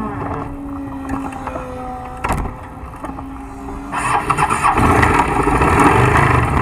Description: During my second ever session on this new to me 2000 SV650 Superbike, something in the lower portion of the engine gave out.